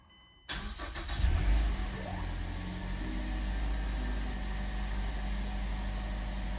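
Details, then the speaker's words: 2009-2013 Mazda 6 (2.5L or 3.7L) just after fuel pump assembly replacement, key cycled several times to build fuel pressure first: cranks briefly, catches cleanly and settles into a steady, even idle with no stumbling, a normal start. "can see it's running"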